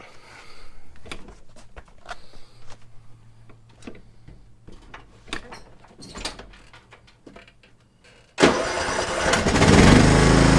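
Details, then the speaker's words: Husqvarna LTH130 riding mower after putting the fallen drive belt back on, belt still somewhat loose: some handling clatter, then the engine catches quickly and runs steadily, and the mower now moves; normal running. "and so it runs again you saw it move up it was unable to do anything like that before and the belt is about the same it's still kind of loose"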